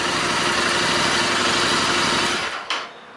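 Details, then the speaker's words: Royal Enfield Interceptor 650 after fitting a DNA oiled-cotton air filter: even, fast idle with strong hissing intake suction before shutoff; no faults, normal idle with louder intake noise. "ไม่รู้ได้ยินเสียงไหมนะครับเสียงดูดอากาศแรงกว่าเดิมพอสมควรนะของพวกนี้มันจะรู้สึกไม่ได้รู้สึกได้โดยทันทีครับ"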